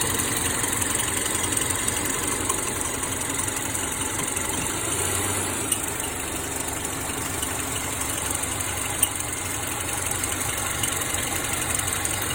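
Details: 2009 Subaru Forester petrol engine idling with AC on: quick, light chirp repeating over the steady running sound; chirping starts in reverse, continues in drive, stops in park.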